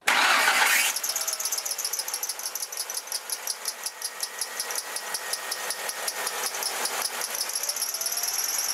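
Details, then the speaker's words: Car engine after starting and during acceleration; high chirping squeal pulsing about three times a second, usually from a worn, cracked or loose drive belt per explanation; high-pitched squeal, exact cause unconfirmed. "سومین صدای غیر معمول صدای [موسیقی] زیر ماننده که معمولاً بعد استار زدن و هنگام شتابگیری در واقع این صدا شنیده میشه که معمولاًهم از تسمه ناشی میشه"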